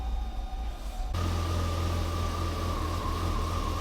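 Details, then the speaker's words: Ferrari Testarossa flat-twelve cold start: the starter catches and it settles to a deep, slightly uneven, loping idle. It takes a little while to get going, then settles quickly; normal, put down to Ferrari's unusual ignition system. "So it does take a little while for it to get going, but it settles down pretty quickly."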